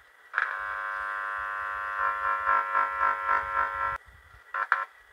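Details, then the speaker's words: Huper AK15A (15HA400) power amplifier board with bass sometimes cutting out: touching the input gives a steady, slightly pulsing buzzing hum through the loaded speaker output, showing the power/output stage works normally; ±15 V DC symmetric supply feeds the tone control. "apabila ini di sentuh dan output power-nya ini di beban Speakernya itu bunyi maka bagian mesin ini normal teman-teman ya bagian mesin ini normal"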